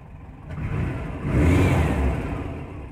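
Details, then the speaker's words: Cold air-cooled flat-four on IDF carburettors, just cranked: revs up cleanly and settles with no popping or spitting from the throttles, unlike the usual pops until warm. "let's see if this one pops nope not a single pop no pops zero pops"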